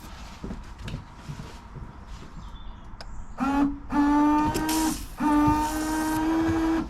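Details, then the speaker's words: Range Rover Sport L320 windscreen washer: steady electric pump hum in short runs with small pitch drift. The pump works normally; the driver's side washer jet nozzle is blocked, later cleared with compressed air. "Okay, so that looks like it's blocked. I'm going to do the same, get some compressed air."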